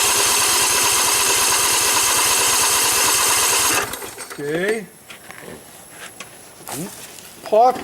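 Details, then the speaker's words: 2012 Husqvarna riding mower, flood survivor with mud on the carburetor: small twin catches and runs rough a few seconds on primed fuel, then dies. Owner suspects water in the carburetor float bowl and plans to drain it. "that there is water in the float bowl on the carburetor that's very possible in which case it means we're going to have to take the hood right off and drain the carburetor"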